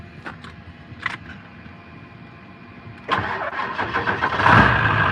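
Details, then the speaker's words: Cold start of a Powerstroke diesel with 204,000 miles that has sat for a long time: brief crank, fires at once and settles into a steady, strong idle; normal cold start. "listen there fired right up I said it's been setting for a long time"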